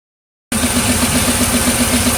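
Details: 2002 Pontiac Firebird 3800 Series II V6 at idle: a steady, even tapping at a constant beat from inside the engine; owner unsure whether rod bearing, lifter or piston.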